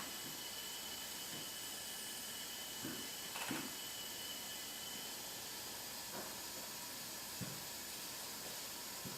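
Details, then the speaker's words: Hyundai Genesis 2.0T R-Spec with milky oil and compression of 110/70/90/90. Leak-down gives a steady airy hiss with 80% escaping on the exhaust side. Exhaust valve or head gasket suspected; number 2 exhaust valves were checked for seating. "let's crank it see what we get we got 80% blow by summer sure signs like it's the exhaust site"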